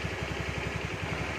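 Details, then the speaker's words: Carbureted Honda Beat scooter idling after repair: quiet, even idle pulsing about eight times a second with no jingle or rattle; the earlier jingling from a worn, loose starter gear is gone. "Nah bisa dengar ya suara Gemerincing nya sembuh ya namanya akibat yang tadi apa Gigi starter nya itu oblak gitu ya turun ke bawah"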